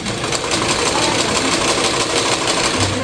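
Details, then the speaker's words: Luxor sewing machine after removing cover and oiling to cure a cricket-like chirp: smooth even clatter at a steady pace, no chirp or squeak; running normally after fix. "Look, you can hear that it no longer makes the noise it used to make, which was ñeque ñequ ñque ñe."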